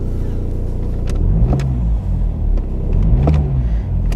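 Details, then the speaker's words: BMW 320d diesel, 07/2014, 283,000 km, in cold weather. Quick throttle blips swing the deep rumble up and drop back cleanly; it starts well and revs freely, with one engine mount slightly worn. "Ну, оберти бере добре."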